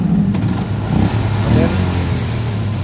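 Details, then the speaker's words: Yamaha Jupiter MX, hot engine: keeps idling steadily after the ignition is switched off; caused by a wrongly connected cable that powers the circuit when the temperature sensor works. "Okay, try turning off the ignition. Off. The ignition is already off. But the engine is still running."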